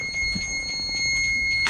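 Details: Luhrs 28 boat engine running in neutral, not under load, during a carburetor test where the carburetor shows issues: a steady, shrill, continuous warning beep holds over the engine until disconnected. Warning alarm sounding, cause not stated.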